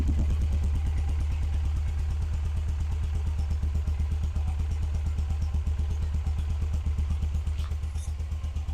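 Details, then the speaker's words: Cold start of a 1991 Suzuki GS500E twin on stock exhaust, revived after two years sitting with new tank, cleaned carbs, new plugs, oil and battery: quick, even low thumping dirt-bike-like beat without stumbles or misses; healthy cold idle. "So, yeah, sounds like a dirt bike. Sounds like your uh typical CRF150."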